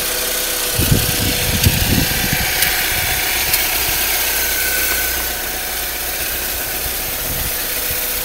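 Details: Saab 9-3 at 122,000 miles: rough, tractor-like clattery idle with a light tick about four times a second over the steady hum; source of the tick unknown.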